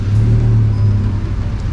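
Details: Honda Mobilio as the engine catches on the starter: a harsh, heavy, uneven rumble, also rough when climbing hills. The gearbox flywheel is worn and is being replaced.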